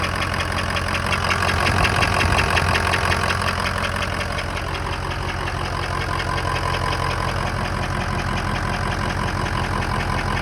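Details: 2003 Ford F-250 6.0 diesel at idle: a soft, regular knock about three beats per second from the right side near the alternator; the owner thinks it sounds like air, and the source is not found. Knock at idle.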